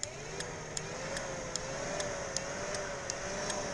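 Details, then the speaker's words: Chevy G20 van, new electric fan and fused relay on test, camera next to the relay: steady whirring fan with sharp clicks about every half second; fan and relay working normally. "so we know the fan works we know we're good there"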